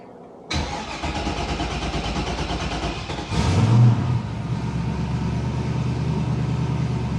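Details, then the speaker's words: Foxbody Mustang on E85, cold start after retuning; previously cranked long, surged and died until warm: short crank, catches at once, one quick flare, then smooth steady idle; surging gone, after-start enrichment still needs work. "all of the surging went away that's awesome we still do need a little bit of after starting Richmond"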